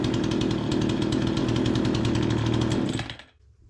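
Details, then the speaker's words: Remington 46cc chainsaw that sat a season after running poorly, after repair: strong steady two-stroke buzz holding even at speed, then shuts off cleanly; running healthy. "awesome running good"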